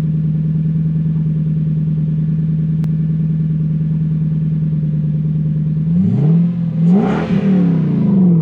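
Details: Lexus LS430 V8 test car with the exhaust open before the silencer, test-running a reflashed, immobilizer-deleted ECU: an even, deep idle, then two quick blips climbing and falling back, loud and raw with no muffling.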